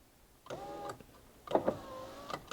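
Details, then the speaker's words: Honda Odyssey power window after repair, with the faulty power window relay replaced by a used Honda relay; short bursts of even motor whine as the glass travels smoothly, with no clicking or binding. Normal power window operation. "so this is fixed guys we're good to go right there window goes"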